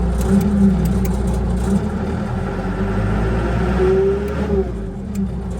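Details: Bomag Hypac sheepsfoot vibratory roller diesel, after replacing the throttle switch: rumble rises and falls cleanly as the throttle is worked; engine answers the new switch and revs normally.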